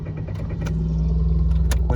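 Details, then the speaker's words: Automatic car with check-engine light on cranks with a steady low drone but won't start. Tachometer rises on cranking, indicating ignition and crankshaft sensor work, and the fuel pump is heard running. Cause still unknown. "Бензонасостың дауысы естіліп тұр. Бірақ та көлік оталмайды."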